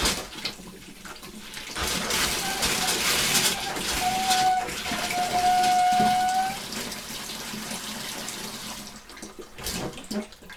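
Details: 2001 Bayliner Ciera 2655 liveaboard, after replacing the 24-year-old water pump and repressurizing: sink hot faucet runs with irregular spitting and gurgling bursts instead of a smooth stream; likely air still in the hot water line.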